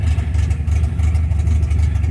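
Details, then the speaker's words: 1972 MGB with twin SU HIF44 carburetors, after an oil change and backing out the idle screws: low, uneven, lumpy idle that sags as if near stalling; idle too low, carbs not yet balanced. "I got to have it idling smoother than this. It just feels like it's ready to die."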